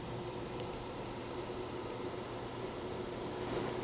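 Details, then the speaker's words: Conventional rooftop RV air conditioner in cooling mode, set to 55: steady loud fan rush over a low electrical hum, with a faint tone near the end; normal running. "one eternity later there goes our compressor"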